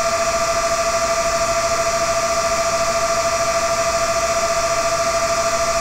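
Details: Dell CS24-SC 1U server, dual Xeon L5420, two of four 40mm San Ace fans removed, Prime95 full load: loud steady high-pitched whine with two clear tones, no rattle or wobble; normal fan speed-up under load.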